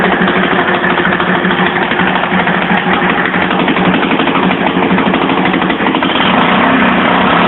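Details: 1982 Yamaha SR 250 Special Edition single-cylinder motorcycle at idle, probably from when the carburetion was being adjusted: rapid, raspy, uneven lawnmower-like putter with popping; the exhaust line is full of holes and leaking.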